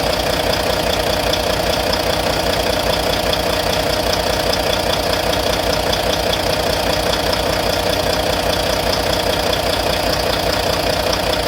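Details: Volvo VNL D13 diesel at idle after injector replacement: a crisp, even valvetrain-type tick about 2.5 times a second; the source is unconfirmed, with a lifter suspected.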